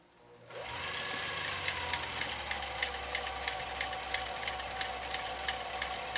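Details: 1955 Husqvarna Viking Type 21 (Class 20) 1.5 A sewing machine, restored, sewing zigzag in slow mode: motor spins up to a soft steady whir with light regular needle ticks about three per second, no grinding; normal running.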